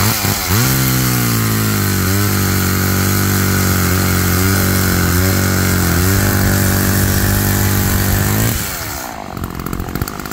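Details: Roadside-found Homelite chainsaw after carburetor rework, cold-started after sitting, cutting wood in wind: strong, steady two-stroke howl drops briefly as the chain bites and recovers cleanly. Chain oiled; owner suspects it runs a little rich, bogging in larger logs then coming back.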